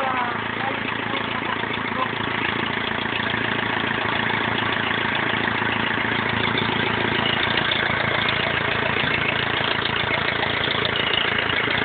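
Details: BMW E46 320d 150 hp diesel, first start after overhaul fixing swirl flap failure: steady unbroken diesel clatter at idle, no knocks or misfires; normal idle.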